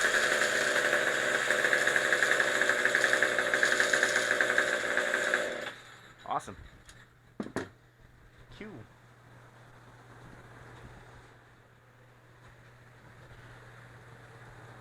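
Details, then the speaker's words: 2009 Craftsman two-stroke trimmer power head after carburetor replacement, fuel line still leaking: high buzzy drone holds steady about five seconds then shuts off cleanly; running normally. "I mean this thing was built in 2009 and it still runs great you can hear that it still runs really well"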